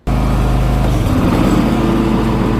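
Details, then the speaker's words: Gravely zero-turn mower after replacing a deck pulley; the blade had been seizing under load, making the belt slip and smell of burnt rubber. Blades engaged: steady, even engine hum with no squeal, slap or grinding; deck drive sounds healthy after repair. "Ahí pueden ver que no hay ningún ruido extraño, todo suena como tiene que sonar."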